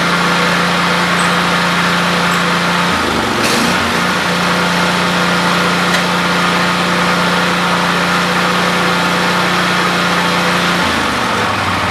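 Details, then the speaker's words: 48-inch Lesco commercial walk-behind lawn mower, transmission tested on hills and working though a little noisy: small engine holds a smooth, even drone with one brief dip; normal healthy running. "I think I'll go ahead and fire this up now and you can hear it run and then uh maybe I'll drive it around a little bit"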